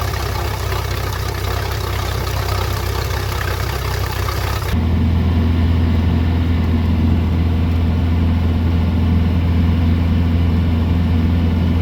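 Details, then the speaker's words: 2006 MerCruiser 4.3 boat engine after repairs for a hot no-start, intermittent turnover-but-no-start once hot: steady, even low rumble with a slight rise, no misses or knocks; normal idle. "sounds like the motor's running pretty good so we'll have to take it out a few days on the water and give it a good run"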